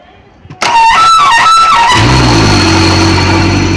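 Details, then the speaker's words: Suzuki outboard on a speedboat that would not start: after starter relay/wiring checked and cable fixed, starter whirs about a second, then it catches and settles into a steady even idle. "patay so goods Ayan na umandar na siya"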